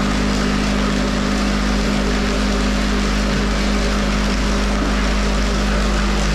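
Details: Van Dale silo unloader running in the silo after being hung, cable tightened, greased and oiled; steady even low drone, no knocks or grinding; turning smoothly and running right.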